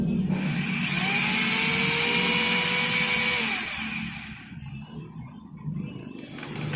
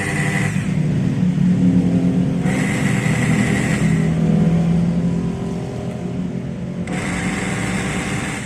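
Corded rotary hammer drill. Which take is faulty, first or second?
second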